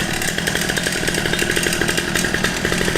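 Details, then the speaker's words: Newly assembled budget two-stroke pit bike, first start after choke: raspy, crackly buzz holding a fast, steady beat with a sharp exhaust edge; fresh engine running cleanly. "Oh, it sounds mean. I'm kind of into it."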